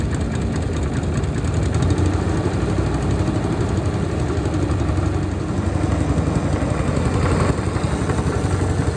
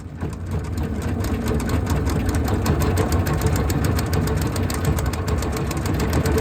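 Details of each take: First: Honda GX160 engine on Logic MSC120 sweeper after service and drive chain noise fix with new spring: steady even low chug, no clacking or knocking; running normally. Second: Honda GX160 engine on Logic MSC120 sweeper running rough as if on choke with some black smoke, suspected blocked air filter; light irregular clickety-clack from around the engine.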